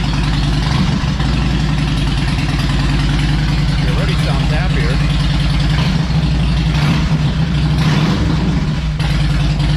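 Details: Harley Electra Glide owned almost five years, after new spark plugs and a cleaned air filter, not yet warmed up: deep, loping V-twin potato idle, no misfires or clatter, running better; normal idle.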